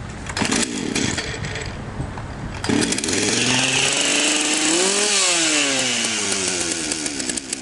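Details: Partner P352 chainsaw after ignition module replacement and gap set (previously no spark, no start): catches after a few pulls, revs up cleanly and settles to steady, even idle; running normally.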